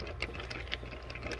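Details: Lortone 45C rotary rock tumbler running after its plastic drum bearings were oiled with 3-In-One: steady low motor hum with light irregular clicks of rock shifting in the turning drum, no squeaking or rattling.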